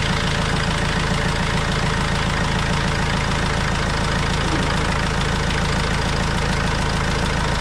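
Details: Vauxhall Vivaro diesel van, first start after an overdue service with new oil and filters: steady even diesel clatter at idle, about three and a half pulses a second, no knocks or misses, no leaks; normal idle.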